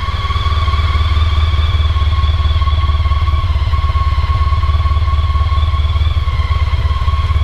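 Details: Honda ST1300 motorcycle on standard Honda exhaust, idle settled after cold fast idle: deep, even exhaust burble with smooth pulses, no misses or knocks; healthy normal idle.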